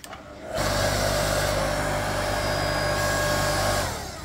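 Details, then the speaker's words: Ryobi 5-ton electric log splitter, about 6 years old, that won't start on its own: a steady electric hum with a low buzz comes up only once the motor is spun by hand. The owner suspects a faulty capacitor, though it shows no bulge. "I literally have to do this turn it off and it retracts okay so there's something with the starting ability of this motor"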